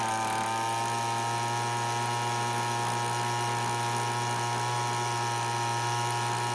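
A steady, high, even two-stroke scream with no surging or misses. The blower holds clean top speed.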